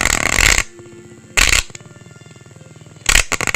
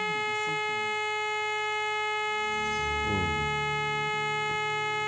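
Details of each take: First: Orion R545A radio, AM band during alignment, signal generator uncoupled: harsh angry growling bursts with rapid pulsing buzz, no station at any tuning; receiver fault, owner suspects tuning capacitor misaligned or plates touching. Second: Orion R545A radio on AM band during alignment, with a 455 kHz IF signal injected from an RF generator: the alignment tone comes through clean and steady over a faint hum, so the IF and audio stages are passing signal.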